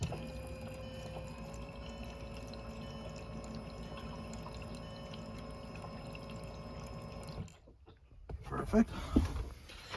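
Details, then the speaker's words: 2005 Jetta TDI with a newly installed aftermarket lift pump: on key-on, an even electric hum runs about seven seconds, then cuts off cleanly; normal lift pump priming. "so in theory i should have a fuel pump now so keys in gonna turn it on listen you can hear it cycle it again one more time"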